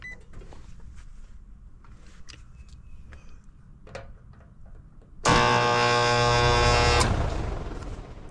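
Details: Outdoor AC condenser: compressor gives a loud, harsh electrical buzz under two seconds, then drops out without starting; capacitor checked acceptable, fan motor fine; 90 A inrush vs RLA 14, LRA 77, so compressor is locked rotor.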